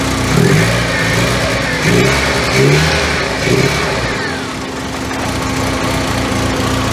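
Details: 1985 Merkur XR4Ti restarted after reassembling the upper intake, AC belt off, cooling fan now coming on; lumpy, uneven rough idle with irregular surges and dips, plus white smoke the owner blames on coolant he filled into the cylinder; throttle cable keeps falling off.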